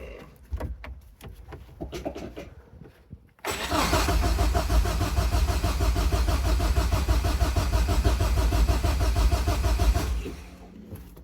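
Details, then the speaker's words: Nissan S13, cold-cranked in a freezing trailer after a loose kill-switch wire was fixed: the starter cranks steadily at about three compression beats per second for six seconds but never catches. The owner is unsure of the cause; likely insufficient cold-start fuel on E85. "Okay, so she won't start. I'm not 100% sure why, but I'd rather not have to diagnose it in this freezing trailer."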